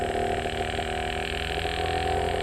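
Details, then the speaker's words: Inverter compressor, as used in ACs and fridges, driven by PCB at variable speed: steady hum with clear tonal lines, first running slow then automatically stepping up to higher speed; normal operation. "Watch பண்ணிக்கிட்டே இருந்தீங்கன்னா தெரியும் கொஞ்ச நேரத்துல வந்து speed high ஸ்பீடுக்கு போகும். Sound variation ஆகுதா உங்களுக்கு கேக்குதா இங்க இது வந்து அடுத்த ஸ்பீடு"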